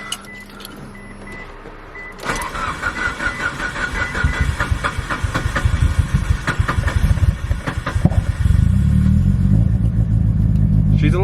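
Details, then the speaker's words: 700HP Mitsubishi Evo 8 first started after a new coil mounting plate, harness and coils, following non-stop issues. The starter cranks a few seconds, then the engine catches and settles into a steady, even idle with no stumble; idling good. "and she sounds good yeah she sounds beautiful yes let's go the evil's alive he's idling good smells like popcorn"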